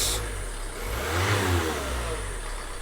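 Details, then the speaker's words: 2014 Nissan Note 1.5 dCi diesel just after starter motor replacement: settles into even idle with brief smooth rev, no knocks or grinding; running normally. "oh that's nice good we'll call that effect"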